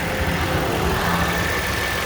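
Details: 2010 Toyota Camry XLE after water pump and gasket replacement: short smooth even idle with steady low hum, no ticks, knocks or squeals; normal idle.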